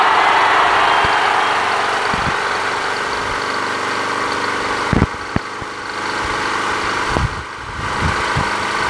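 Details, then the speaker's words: Another Craftsman push mower with Quantum engine after winter storage, primed and started. Even, steady single-cylinder buzz holding speed, no misfires or knocking; runs cleanly, rpm sounds right. "that sounds great now but that's how the engine's supposed to sound like that sounds fantastic yeah that and dissension sounds great rpms"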